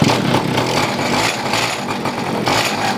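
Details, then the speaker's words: Pocket bike with a small two-stroke, on a pull start. It won't start, then catches and buzzes raggedly with uneven surges. Lean fuel mixture suspected, so the carburetor mixture is richened; the choke was pulled too soon. "Doesn't seem to want to start. Turn in the fuel mixture a little bit, see if I can make it a little bit more rich. It sounds like it's not getting enough gas."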